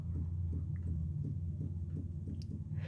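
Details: Car steering rack area: dull low knocks about three a second as inner tie rod joint is rocked, rattling over small bumps; worn steering tie rod (water got in under plastic zip-tie boot), rack itself fine.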